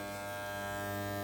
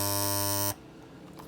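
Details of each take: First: Andis T-Outliner trimmer after the blade was reset and the screws retightened: smooth, steady buzz with no rattle or chatter, the right vibration; running evenly and quietly as it should. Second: Andis T-Outliner trimmer during a silencing adjustment: loud, harsh electric buzz at a steady pitch, cut off in under a second; still buzzing excessively, cause unconfirmed.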